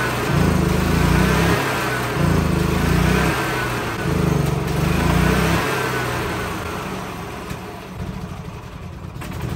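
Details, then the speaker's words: 2013 E-Z-Go gas golf cart engine: surges up and down in slow waves, never holding steady revs, as if fuel-starved; owner suspects carburetor not drawing enough fuel even at full throttle, needs carb kit. "the reason I know we need a carb kit is because there's not enough fuel being pulled into the actual carburetor the reason I know that is because even when I go Full Throttle it's not getting"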